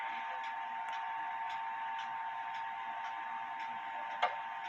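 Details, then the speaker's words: Clock out of beat: steady ticks about once a second over a faint hum, one beat of each pair slightly off; pendulum stops about an inch on one side versus 2¼ in on the other, so the crutch needs adjusting. "and about five so it's an inch on this side and 2 and 1/4 in on this side so I need to um adjust the crutch so Less on this side and more on this"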